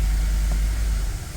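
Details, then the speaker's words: 2007 Cadillac that wouldn't shift, after reattaching dangling internal transmission clip/linkage, refitting pan and adding fluid; smooth steady idle while selecting reverse and neutral, no clunks or slipping; repaired, normal gear engagement. "Let's start it up then. Oh, I hear reverse, neutral,"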